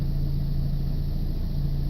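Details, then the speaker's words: 1990 Mazda Miata with replacement 90,000-mile engine from a newer NA (about 1992) fitted after original overheated, idling; smooth even low hum, no knocks or misses, runs nicely. Brief rattle is the gear stick being shaken. "So let me start it up. You can hear it run. This thing runs so nice, if I do say so myself."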